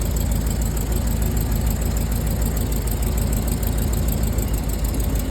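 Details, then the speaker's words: Rolls-Royce Silver Cloud S2 V8 idling: low, slightly uneven chuff about three pulses a second; two cylinders on driver's side misfiring, found by checking plug leads; spark plugs and cables to be replaced. "This side is working. So it's just 2 misfires on the driver's side."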